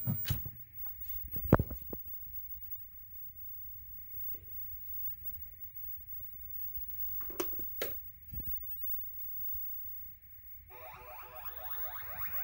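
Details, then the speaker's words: Williams pinball sound board set up as Stargate, powered up after swapping a faulty 6810 RAM chip for a known-good one: quiet clicks, no static, then clean tones. Normal startup, replacing the earlier wrong tones. "there's no static on this screen and if I press the test mode button it's actually playing real Stargate noises"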